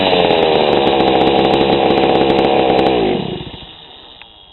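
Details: GoPed GSR40 two-stroke scooter engine with 603 carb and TGN manifold, tuned after the low needle was leaned from a rich, choppy idle: a crisp, even buzz holds steady at high revs, then drops off cleanly. The low end now sounds properly tuned.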